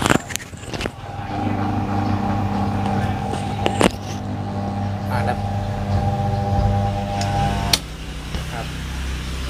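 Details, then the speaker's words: Imarflex 18-inch fan that runs slow, noisy, then stops: steady low motor hum with rough buzzing and sharp knocks as it turns slowly; shaft oil dried out, shaft rubbing a loose bushing. "อาการเสียงดังนี่คือนะครับแน่นอนนะฮะเพิ่มมาอีกตัวนึงคือน่าจะเป็นน้ำมันภายในแห้งแล้วนะครับน้ำมันภายในแห้งตรงแกนนะครับมันไปสีกับตัวอ่าตัวชุดบูทนะครับมันก็เลยเกิดเสียงดังนะครับ"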